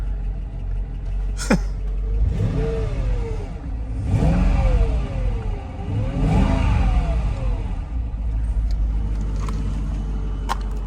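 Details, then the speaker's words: 2004 Mercedes S55 (W220) V8 after new fuel pump and filter, first run after sitting about a year: three clean revving blips rising and falling smoothly back to steady idle, no hesitation; runs fine. "all right so the car runs guys that's the that's the point it runs it runs for now"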